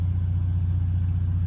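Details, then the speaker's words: 1990 Monaco Crown Royale diesel-pusher motorhome's onboard generator, started from the interior control panel after preheat: steady low drone with an even beat, no knocks or surging; generator running normally. "oh there it goes and it is green and it is running"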